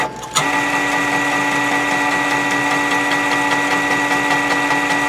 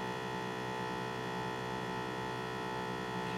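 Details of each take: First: M2X Series DTG printer during fourth, longer cleaning: white ink circulation pump kicks on suddenly, then steady even hum with faint quick ticking; normal pump operation. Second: M2X Series DTG printer ink filling: ink pressure pump drones steadily without cycling off because an ink bottle is left open, an air leak preventing pressure build-up; pump runs continuously until it trips.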